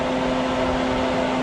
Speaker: I figured out the fan why it wasn't working is because I have the wrong wire plugged up. But this thing is blowing hard, guys.